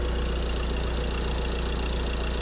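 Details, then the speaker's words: 2013 Ford Transit 2.2 diesel after full engine rebuild, cold first morning start, MOT passed: deep, steady idle with smooth rhythm, no knock or stumble, no smoke from exhaust; normal idle. "No smoke from the exhaust. Nothing."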